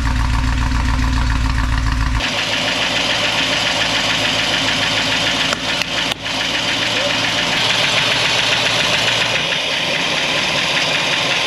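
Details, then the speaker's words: 1964 Buick Electra 225 V8, fire-damaged, just started after revival: loud, rough, raspy idle with uneven chuffing pulse; holed exhaust lets pulses escape unmuffled, exhaust leak. "that exhaust is horrible yeah I hear it right we noticed holes in the exhaust and it sounds like it"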